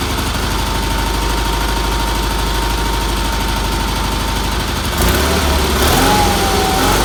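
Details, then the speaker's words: Red Roper engine after new fuel filter, fuel line, pulse line, wiring and exhaust, some tuning done; weak fuel pump suspected earlier: even, steady twin-cylinder putter at idle, no misses or knocks, then brief note change; healthy. "I'm very happy with that motor runs good had to do a little tuning on it but that's what happens every time you do it"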